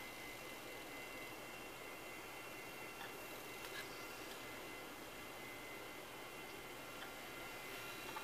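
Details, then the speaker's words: Compaq Presario 5280 desktop from about 1999, CD-ROM drive reading a disc: loud steady airy roar with thin high whine while spinning flat out; sounds unhealthy but the disc loaded. "oh that sounds unhealthy may have to re-record that at a lower speed damn that sounds sickly"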